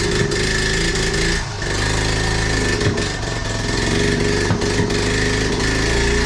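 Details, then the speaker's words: 1976 Honda Z50J1 Monkey, cold, on half choke, not started for a couple of weeks: idles unevenly and sags every second or two, wanting to die; pops, splutters, backfires through carb; owner suspects fuel issue. "Just sort of, it sounds like a fuel related issue. It pops and splutters a bit and it backfires through the carb. That's it. I've not started this for a couple of weeks. And it just wants to die as well."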